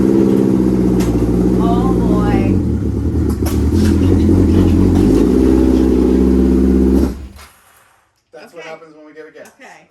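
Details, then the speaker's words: Honda CB750 four-cylinder motorcycle running on full choke, lumpy and uneven under throttle, then dying after about seven seconds; rough running and stalling, carburetors suspected to need cleaning. "it doesn't sound so good needs a little cleaning up"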